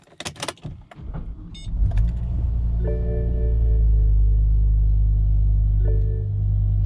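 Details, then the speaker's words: BMW E60 M5 V10 started after fuel filter replacement and fuel-line priming: after some rattling it catches cleanly and settles into a deep, even idle with no stumble or hesitation. Normal start and idle. "she's peering just like a v10 should not like I say if you get any hesitation there and it doesn't come right you're gonna have to go back in there and make sure you've got all them fuel lines connected properly"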